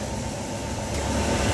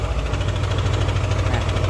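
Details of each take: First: Old Yamaha NMAX scooter engine running smooth, even and no longer rough after tensioner replacement and re-tightening the throttle body filter rubber; roughness had appeared only once hot, so a check at 80°C is still pending. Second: Old Yamaha NMAX, fine when cold but once hot the idle carries a rough, fast metallic rattle about three per second, owner's complaint; cam chain tensioner letting the chain slap.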